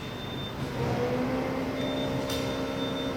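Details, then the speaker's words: TUOLI TL-X9 3D sublimation vacuum machine, cover pressed and start button held 3 seconds: a motor hum kicks in and settles into a steady, even drone as it pulls vacuum. Normal running. "And also we can hear the working sound. It's do vacuum now."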